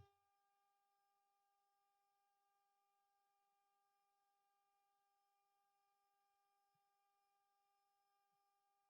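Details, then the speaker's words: Emergency light rotary switch tested with multimeter leads across both terminals: steady unbroken mid-pitched continuity beep, showing the switch contacts conduct properly. "अब देखिए इसने लगाने पर आपकी beep की आवाज आ रही है यहां पर देखिए"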